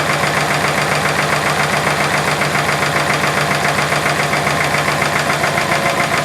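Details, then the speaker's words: Subaru engine idling with the timing cover off: a fast, steady rattle about 2.5 per second. Pressing on the tensioner makes much of it go away. Worn timing tensioner and timing gear, timing gear to be replaced. "okay so it's the tensioner and the timing gear so what I need to do is replace the timing gear"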